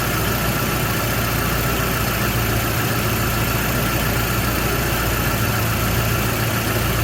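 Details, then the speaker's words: Toyota Hilux 2WD truck after fixing an exhaust leak at the block-off plate (loose and missing nuts): even, steady low idle, quiet like a sewing machine, no puffing or ticking from the exhaust; normal idle. "Our exhaust leak should be quieter than it was this last time around, so let's find out. Look at that. Quiet like a sewing machine."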